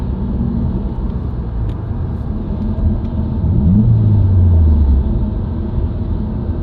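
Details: Subaru WRX, recorded inside the cabin while driving: constant low moan over road noise with a brief downward-sweeping tone mid-clip, rising with road speed, not rev- or gear-dependent. Dealer-diagnosed broken centre-diff viscous coupler, recorded before repair.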